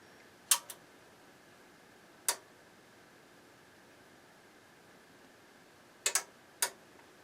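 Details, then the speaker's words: Crown CDi1000 power amplifier, known for a bad C196 capacitor, being power-cycled while the inrush current limiting resistor is suspected. Sharp, isolated relay clicks seconds apart. This is a normal startup. "right now it was the same thing up to 84 volts and then it clicks in high gear"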